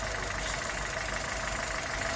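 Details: 2011 Chevrolet Spark after intake carbon cleaning and idle relearn, previously shaking at idle and stalling at low speed: even, steady idle with no stumble, misfire beat or surging; engine runs smooth and settled after repair.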